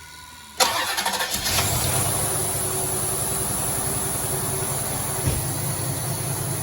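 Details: 1990 Cadillac Allante, which had a starting stutter and slight lifter noise after sitting: it cranks briefly, catches quickly and settles into a steady, even idle with no knocks or misses. Normal start and idle.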